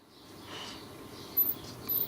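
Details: Weldon valve radio with dead radio circuits but working audio stage, jumper across tried without change: quiet hiss, then two short very high-pitched chirps about half a second apart; intermittent squeal, source undetermined.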